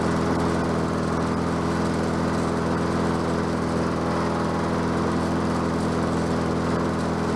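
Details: Bolens 22-inch self-propelled mower with a Quantum engine, on the ground after repair work: steady, even buzz with no surging, misses or knocks; self-propel works and it runs clean and smooth.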